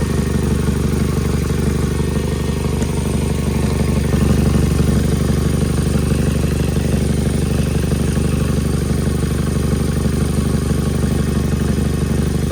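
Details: Nissan (Sentra/2017 Altima SV) engine bay: steady idle with a fast, regular puffing tick about three per second over the engine; cracked exhaust manifold, common issue, fixed by replacing the manifold.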